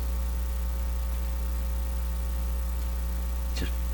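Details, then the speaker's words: 85-year-old National HRO receiver, second power-up after stuck-open B+ switch fix, B+ just applied: steady low hum with even overtones, no signal; hum confirmed from the set, source not yet pinned down. "now you're hearing the hum from the radio is is it really from here I sort of heard that uh yeah yeah it's definitely coming from here"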